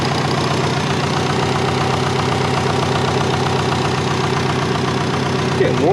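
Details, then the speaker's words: Compound/twin-turbo Subaru Forester warming up: steady even idle sitting a touch high with a light rapid patter; high idle, owner suspects a vacuum leak (also not hitting boost targets). "she's idling a bit higher than normal see there we go"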